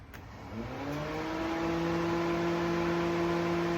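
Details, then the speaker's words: 1985 Oldsmobile Cutlass after overheating, Honda Odyssey fan newly fitted as secondary cooling fan, wired to the old manual switch; whir climbs in pitch over a second then holds a steady even hum; fan running normally. "The secondary fan is all wired up and ready to roll."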